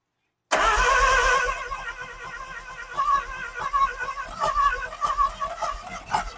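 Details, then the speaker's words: Neglected sun-baked Mazda RX-7 with 12A rotary, first start with a hand-held fuel bottle feeding it: catches with a loud blare, then runs ragged with stumbling pops until the excess fuel burns off; rough running from rich mixture. "yeah I mean at first we had we had so much fuel in there that it was kind of like yeah it definitely I was struggling and then it kind of it blew it out burned that off and she's good"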